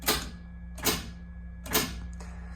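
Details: Trans brake solenoid on a 2JZ-swapped car with TH400, operated by a bump box hobby timer that releases it about 1/30th second: crisp clicks roughly every 0.8 seconds over a steady low electrical hum, engaging and releasing cleanly.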